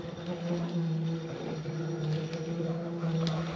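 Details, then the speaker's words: Sherman S electric unicycle, fully disassembled except the hub motor: low steady hum with a droning buzz swelling and fading as the wheel turns; board, batteries and brackets found tight, so the noise is attributed to inside the motor, left unopened. "Only thing we didn't do was break open the motor, and the motor itself is what's making that noise."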